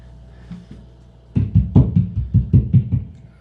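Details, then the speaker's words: Taylor acoustic guitar of unknown age, in for loose neck bolts and a rattle possibly from battery wires: strummed through an amplifier, loud and full, pickup working normally, no dead battery as owner suspected. "Pickup seems to be working just fine. So I will tell him that. He thought maybe he had a dead battery."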